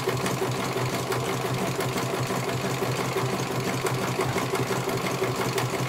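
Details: CNY computerized embroidery machine being serviced, whose dynamo motor earlier would not turn: steady, even needle clatter roughly three stitches a second, no knocks or drag; stitching normally, one colour finished, judged very good.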